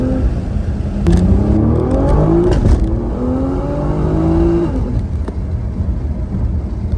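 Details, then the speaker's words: R35 Nissan GT-R GR6 dual-clutch transmission under hard acceleration: revs flare up briefly on the 1-2 shift before second gear bites, a shift flare from delayed clutch cross-over; fixed afterwards with carbon seals and carbon clutch plates. "So, what this transmission is experiencing is what is called a flare, a shift flare."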